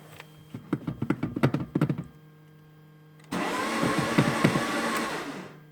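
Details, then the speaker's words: Mercedes C200 after cleaning EGR valve and solenoid valve, tried with spare key: even starter churning two to three pulses a second, pause, longer crank that never catches; owner suspects EGR solenoid valve. Crank no-start. "On a l'impression que ça accroche pas."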